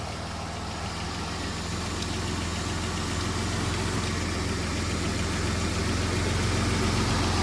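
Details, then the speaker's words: Van's petrol engine idling smoothly with no hiss or misfire after reconnecting a forgotten vacuum line, fixing an oil leak, brakes and tie rods; no drips seen. "Sounds okay. Any leaks? No drips?"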